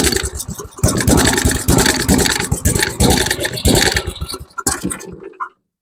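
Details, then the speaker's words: Tecumseh Snow King 7hp 4-stroke engine on an MTD Snow Flite snowblower, after a carburetor rebuild: it chugs unevenly, hunts, then dies after about five seconds. The choke was mistakenly left closed, so it runs too rich. "Okay, let's try with the choke open. That's that that was my fault. I I forgot to open the choke back up."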